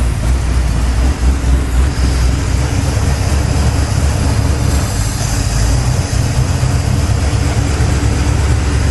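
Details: 1983 Chevy C10 square body, 350 V8, just fitted new Holley 4150 750 replacing the Quadrajet, first start in a very cold shop, choke kicked off: deep steady rumble, no stumbling or misfire; idles cleanly, runs far better than before.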